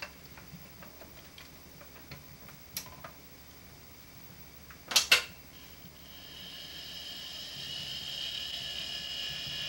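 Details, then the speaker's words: Quantum ProDrive ELS 127 MB hard drive from 1993: a few soft clicks, then a faint, steady, high motor whine. It made an odd noise at start-up that disappeared once warmed; heads silent. Normal spindle motor hum. "Il faisait un bruit un peu étrange au démarrage, mais quand il s'est réchauffé, le bruit a disparu. Donc on entend bien le moteur, mais les têtes sont silencieuses."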